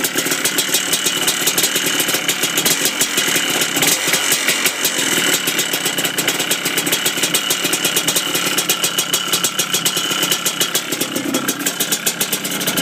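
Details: Yamaha Blaster two-stroke at idle: sharp, rapid ticking rattle keeping time with the engine, suspected piston slap, not confirmed.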